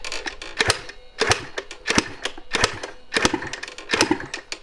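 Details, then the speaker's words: 1986 Yamaha IT200 two-stroke enduro, lots of oil dumped into the cylinder, choke on, kick-started: uneven kicks with sharp pops and brief sputters that die out, sounding more throaty, a little smoke. Fires but won't keep running. "It's sounding more throaty. Yeah, I dumped a lot of oil into this cylinder when I first got it, so that probably has to work its way through. Oh, look. A little bit of smoke. It wants to run."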